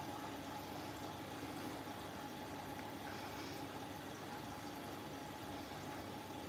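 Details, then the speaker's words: New Siemens 10 kg washing machine, first cycle, drum clean: quiet steady hiss of water running in through the back steam inlet with a faint constant hum; healthy fill. "Now, you can probably already tell it's doing a completely different way of filling on this cycle. Now, it's filling through the back."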